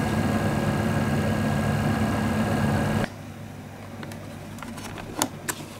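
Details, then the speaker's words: Xbox 360 Slim Hitachi-LG DL10N DVD drive with flashed firmware, mic on top of console: drive whirs then stops, leaving sharp isolated ticks and an open tray error; clicking points to a dead optical pickup laser. "because that clicking sound is very, very important. It's a way you diagnose a dead optical pickup."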